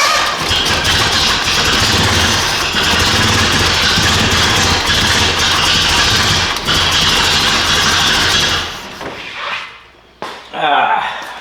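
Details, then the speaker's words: 1978 Datsun 620 truck engine after repair, radiator cap off, with a leaking fuel line: loud uneven running, ragged stumbling firing and a harsh rasp, then it dies; ignition timing quite far off. "Quite a bit out of time. Let's see which way it needs to go."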